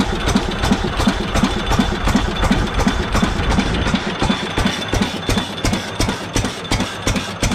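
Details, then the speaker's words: Restored 7.5 HP Fairbanks Morse single-cylinder engine on new adjustable governor linkage, throttle plate fully closed at governor's outer limit: slow steady thump about three beats a second, evenly spaced, smooth settled low governed idle. "I try to adjust it so when the governor is all the way out which is here the throttle plate is closed all the way I'll make it run nice and slow"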